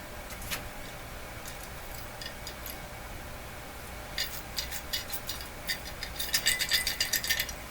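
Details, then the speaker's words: 1946 Buick Sonomatic 6-volt car radio, unit pulled out for checkout: shaking gives loose metallic rattles in bursts, like small parts tumbling inside; something broken free internally, cause unknown. "inside here is just some electronic parts nothing uh nothing that should rattle around like that"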